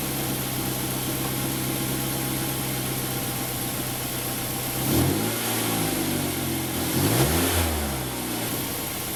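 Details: 2008 Mazda 5 after a no-start problem was fixed: smooth, steady idle, then two clean blips where the pitch rises and falls evenly with no stumble; the engine idles and revs normally.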